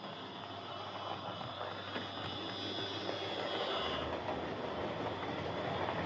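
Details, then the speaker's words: Hornby Dublo R1 0-6-0 tank loco, possibly about 60 years old, heavily run with brushes worn right down, on layout after motor adjustment; loud high-pitched harsh buzzing whir. Excessive gear noise. "Okay, so as you could no doubt hear there, this is a tad loud. I've been fiddling with this a lot to try and reduce the noise, as these old Dublo motors are tricksy things."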